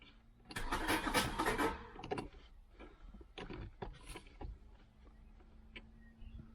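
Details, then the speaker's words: Audi 80 Coupe 2.6 V6, sat unused after running fine, fuel pump relay just replaced, taken out of first gear: a harsh rasping grind for over a second while cranking, then rough clunks without catching; owner suspects gearbox or clutch rather than engine. "When it started a few more times, it was making that horrible grating noise. It sounds like to me like gearbox, clutch, rather than the engine, because the engine was running sweet last time I used this,"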